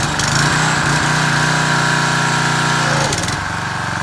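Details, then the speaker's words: Craftsman 190cc Briggs & Stratton (122S02) pressure washer after refitting the detached governor spring: a strong steady full-throttle drone drops cleanly to an even idle when the trigger is released, so Quiet Sense idle-down is working normally. "And down when I release the trigger. That's the way Quiet Sense works. I'll show this real quick. So again, that's the way Quiet Sense works. It also is called idle down."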